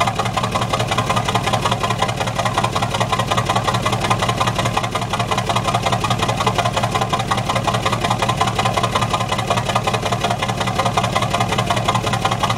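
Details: Truck exhaust at idle: steady exhaust note broken by a regular stumble near 110 per minute, a misfire.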